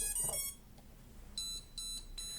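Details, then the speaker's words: Short repeated high-pitched beep bursts in a steady pattern from an STM32 drone flight controller powered on with the transmitter off, signalling no radio link yet; clears once the transmitter is turned on. "Then, this pattern of beep sounds notifying that the radio connection has not been established. In this case, simply turn on the transmitter."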